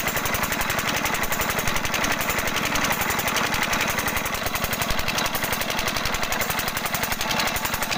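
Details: 5 HP diesel engine (Usha/Kirloskar/Fieldmarshal type) with a sound problem; nozzle adjustment discussed as the fix. Loud sharp knock on every firing stroke, about four per second; cause suspected, not confirmed.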